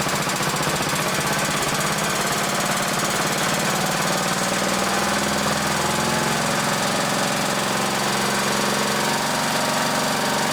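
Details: 1960s-era roughly 10 hp Briggs & Stratton (Hale fire pump), recently tuned, fresh oil, some old fuel, started on choke: loud, fast, even single-cylinder bark, starts readily, no misses or knocks; normal running, a bit smoky (owner suspects rings).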